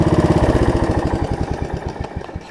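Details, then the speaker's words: Snapper rear-engine rider after carb cleaning, new deck belt and throttle cable repair; crisp single-cylinder firing slows evenly as revs drop, no misfires or rattles; running excellent. "running excellent"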